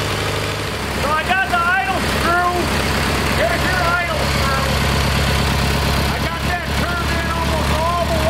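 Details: Kohler Magnum 20 after a carburetor rebuild. Steady single-cylinder putter holding constant speed, smooth with no misfires; mixture close to right. Fuel pump suspected weak.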